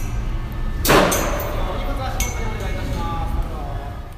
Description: スペースワールドにあった屋内コースター、ブラックホールスクランブルの発車時のブザー及びブレーキの開放音です。